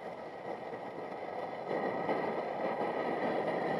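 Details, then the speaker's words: MSR XGK multi-fuel stove, over 20 years old, after service with new jet and fuel line; steady roaring hiss that surges louder, fuel not getting chance to vaporize: burner running too lean. "you have it running to lien what happens is you don't get it given enough chance to vaporize the fuel and that's no good still not running perfectly yet"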